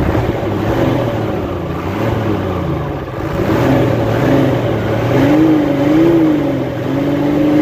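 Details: Hino Euro J08C six-cylinder truck diesel after air compressor repair, revving up and down smoothly with the throttle, no knock or rattle, smoke cleared; engine sounds healthy.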